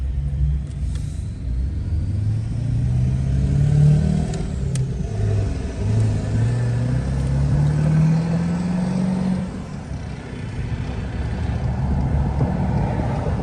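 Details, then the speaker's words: 2001 Ford F250 7.3L diesel with manual transmission and new clutch, towing a loaded trailer, pulls away from a stop sign on a hill; the low rumble rises steadily through the gear with no knocks or slipping; normal running under load. "let's listen to him as he pulls out of this stop sign on a hill give him some room in that big bad stick shift"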